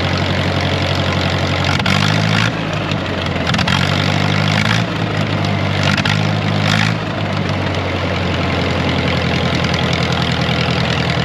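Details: Wisconsin V4 engine on R40 Ditch Witch after points-to-Hot Spark electronic ignition conversion, distributor being moved by ear to set timing: loud steady low idle, speed dips and recovers slightly as timing changes, settles smoothly; normal idle.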